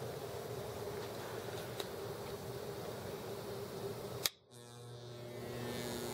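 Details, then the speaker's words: Genius SP-HF-1800A multimedia speaker system, 2.5 years old, on 24/7, microphone close: faint steady low hum, likely 120 Hz, under room noise until switched off; bad power-supply filter capacitor, plus two bad rectifier diode solder joints. "so as you see as you hear it has developed a low-level hum it sounds like it's either probably 120 Hertz possibly 60 Hertz sounds more like 120 that's generally a filter capacitor"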